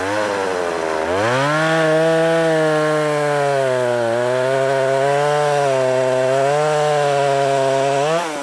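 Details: Poulan 3300 chainsaw, freshly revived: a crisp two-stroke snarl that revs up cleanly and holds a steady pitch, dipping only slightly under load. Runs strong and even.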